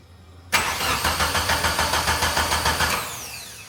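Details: 1995 Mitsubishi Eclipse 2G DSM after two years sitting, rolled fuel rail refitted after a leak and tune adjusted: starter cranks in even pulses three to four a second for 2.5 s, never fires, winds down; crank no-start, tune still being adjusted.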